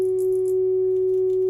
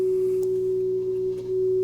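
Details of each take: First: Hybrid tube and solid-state audio amplifier after its controls were cleaned: a steady, pure mid-pitched tone with no crackle or scratchiness while the controls are adjusted; clean amplifier output. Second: Hybrid tube/solid-state audio amplifier on bench, test signal through it: low constant hum under steady mid-pitched tone; mains/line hum in signal, possibly from unshielded input lead, not confirmed.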